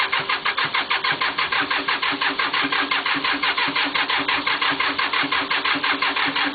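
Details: Cub Cadet diesel cold start: after glow plugs heated red, steady even cranking with no firing; fails to start cold, though owner expects it would probably start after glow plugging again an hour later. Cause unconfirmed.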